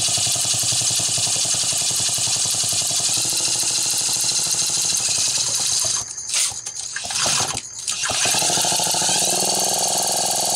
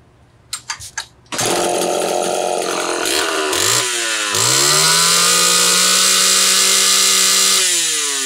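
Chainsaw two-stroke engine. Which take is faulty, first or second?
first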